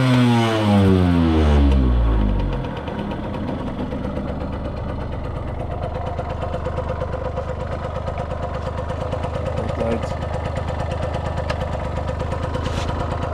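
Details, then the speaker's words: Restored 1989 Yamaha YSR50 two-stroke 50cc, 198 original miles, cylinder fogged in storage, premix oil added: quick rev blip settles into crisp even popping idle, no misses or rattles; sounds brand new. "See if we can do a quick start up here. The motor sounds like brand new."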